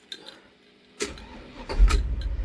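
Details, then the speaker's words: 2003 Safari Trek RV, 57,160 miles, hot day: keys jingle, brief crank, fires within a second into smooth steady idle; healthy engine start. "Starts right up."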